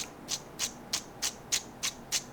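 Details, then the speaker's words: Shakespeare 2062 fishing reel, old bearing removed during bearing and drag washer replacement: crisp gritty ticks about three times a second, each a rough rasp as it turns; worn bearing replaced with new. "I'm going to keep the old one because, oh my gosh, that is so funny. You hear? I'm doing it. I'm letting you hear it. Okay? That's the old new bearing. Here's the old one."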